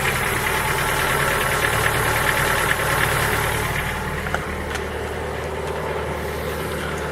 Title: Форд Фокус 3 PNDA стук на холодную